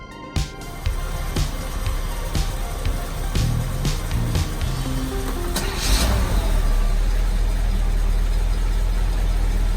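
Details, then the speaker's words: 1986 Pontiac Trans Am V8 after setting ignition timing back to 6 degrees to cure pinging: deep steady idle, even firing, no pinging or misses, music partly covering; normal healthy idle, throttle snappy. "You can hear she's running pretty good. Throttle is nice and snappy and responsive, so let's get the Tahoe out of here so we could go for a test drive."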